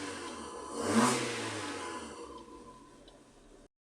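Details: Maruti Suzuki Swift with P0303 misfire and poor pickup, after replacing the faulty ignition coil: one quick throttle blip rises cleanly and settles smoothly, no stumble or miss; normal revving.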